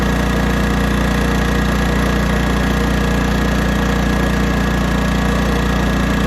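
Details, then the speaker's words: 1980s Honda generator after mixture-screw adjustment to the spot between rich and lean: under load it holds a steady, even engine beat with no surging or hunting; normal running under load. "all right this is still running good under load"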